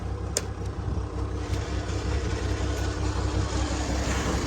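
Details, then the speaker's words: International 706 tractor running: steady engine with a low rhythmic thumping, about 160 per minute, from the rear end; source unidentified, owner unsure whether it is the hydraulic pump. "There's that noise. I haven't brought it up yet, but there's something going on in the rear end of this tractor, and I don't know if it's the hydraulic pump."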